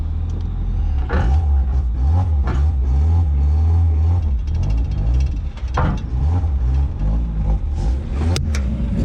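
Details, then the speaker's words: $100 Mazda Miata being revived after sitting as a non-runner: steady low rumble with even throttle blips, no lifter tick, knocks or rattles; engine sounds healthy. "it doesn't sound bad does it really not oh you [ __ ] me dude sick"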